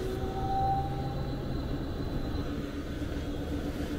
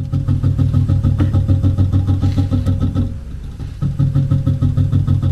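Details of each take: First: HVAC variable speed blower motor just replaced, running in fan mode; smooth, steady airflow rumble with a faint even hum and no rubbing or ticking; normal blower operation. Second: HVAC variable speed blower motor in fan mode: low droning hum with an uneven pulsing throb about three per second, motor trying to spin and labouring; failing blower motor, replaced afterwards.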